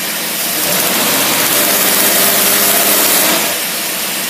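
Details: Engine running an Autolite carburetor on test, simulating a load uphill: revs climb quickly on each blip and drop back cleanly with no stumble or hesitation; carburetor responding properly.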